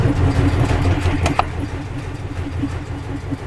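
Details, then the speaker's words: 1951 Henry J on jump pack: slow, regular starter churning about three turns a second with no catch or firing; cranks but won't start. Points working; crew suspects the overheated ignition coil is cooked, not confirmed. "Points are working. I think we cooked that coil. So do. Pretty sure we did."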